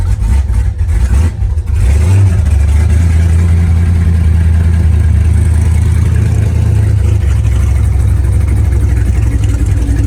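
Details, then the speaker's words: 1966 Mustang GT with twin carbs, just started and fuel pressure come up, water pump on, fan off, before warming: deep, loud idle with an uneven, choppy beat once it catches; healthy lumpy cam idle. "so now the fuel pressure's come up and you can hear the chop it's got a nice real chop to it"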